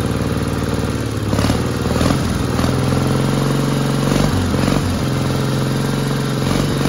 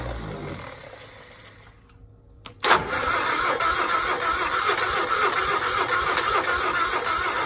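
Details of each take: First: 1960 Onan industrial engine for a homemade Model T replica truck, first start in many years: steady even low drone with no misses or knocks, healthy running after the fuel pump butterfly valve position was changed. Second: 1960 Onan industrial engine for a homemade Model T replica, first start in many years; fuel pump vacuum shutoff lever propped open. Steady starter churn, three to four beats a second, never catches; carburetor float bowl apparently not yet filled, fuel just starting to come up.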